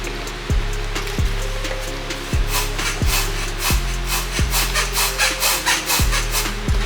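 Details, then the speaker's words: Honda Pilot rear end: rubbery creaking squeak repeating about every two-thirds of a second as the rear suspension is rocked, heard over bumps and turns; not the struts, traced to worn rear stabilizer bar bushings, which are replaced. "Honda Pilot and we have this squeaking noise in the back every time you you know pop bump or turn and I know it's not the suspension"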